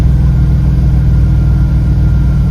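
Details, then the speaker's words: 2001 Chrysler Prowler revived after sitting three years, about 75,000 miles, warm with fan on and temperature gauge creeping up: deep, even idle, revs and returns cleanly; engine sounds good, suspected cooling issue. "The engine sounds good. Hit the gas, it revs up and comes back down."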